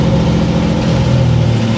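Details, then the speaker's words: 1964 Chevrolet Corvair barn find, running, clutch smooth, brakes not working: low steady engine drone as reverse is engaged with no gear grinding; gearbox shifts cleanly. "No grinding of the gears. At least I don't have to push this car anymore."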